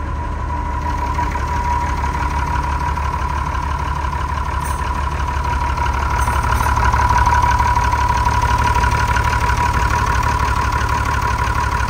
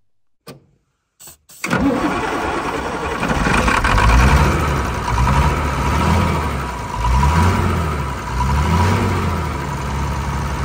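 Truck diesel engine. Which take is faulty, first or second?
second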